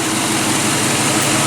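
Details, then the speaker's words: 2007 GMC Yukon V8 after engine replacement, first run, possibly aftermarket exhaust: steady, even idle with no ticks, rattles or shaking; slight smoke burning off manifolds considered normal; engine running well. "No rattles, no ticks, no shaking. A little bit of smoke, I mean that's normal. Stop being on the manifolds, don't worry about that. She's running good."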